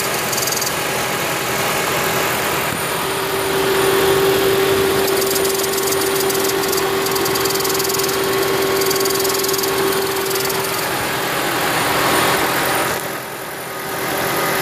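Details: 2010 Toyota Prius, over 300,000 miles: a steady hiss with a faint whistle over the running engine, likely from the EGR valve not fully closing; the hiss disappeared after the EGR valve was removed and cleaned.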